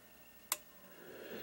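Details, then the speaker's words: Protek 3003 30V 3A bench power supply, repaired for a cracked PCB and two bad 2N3055 transistors: one sharp click over a faint hum as an internal relay pulls in around 15 volts while the coarse voltage adjustment is turned up, normal. "there's a relay so it probably kicks in the other uh three zero five five if you listen to it right about 15 volts"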